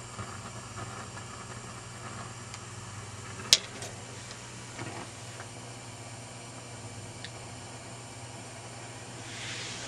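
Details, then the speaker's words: 1941 Rauland tube PA amp on an external supply at about 316 V: steady hiss with random pops and crackles. Intermittent noise from a faulty interstage transformer driving the 6L6s; transformer to be replaced. "i go ahead and turn it on about 316 volts notice that the noise is appearing"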